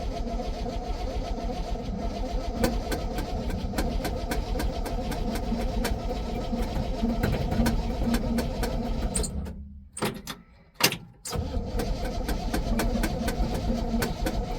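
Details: 1966 GMC pickup after sitting, battery around 12.5 V, gauge reading no gas, choke likely not hooked up; long uneven starter churning with clicks, pause, more cranking, never fires; owner suspects lack of fuel prime.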